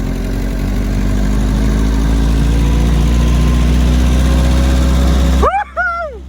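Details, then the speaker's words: Restored Jeep on its first drive, pulling in second gear: steady, even low motor drone with no knocks or misses, sounding smooth and healthy; it drifts slightly right, possibly the tire, and the steering box has some play. "oh it feels so nice listen to that sound that motor just oh man"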